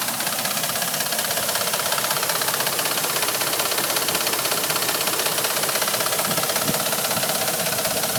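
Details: Dodge Ram 1500 gas engine at idle: fast, steady, light diesel-like ticking at about two to three per second. Source of the tick not pinned down.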